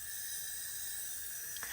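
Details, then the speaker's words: Honda RSX Type-S engine on a cylinder leak-down test: steady thin air hiss escapes, cylinder reading 30 against 100 supply, air also heard through second spark plug tube; owner suspects intake or exhaust valve leakage, not confirmed. "so basically it's telling me if I'm getting a leak from my intake valve or my exhaust valve and you guys hear that hissing"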